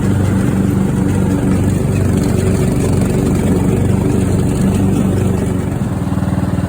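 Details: Craftsman riding mower engine that fired but would not run, after a new fuel shutoff solenoid, fuel filter, spark plug and fuel treatment (owner suspected water in the fuel): steady, even single-cylinder thrum, no misses or surging throughout; runs smoothly.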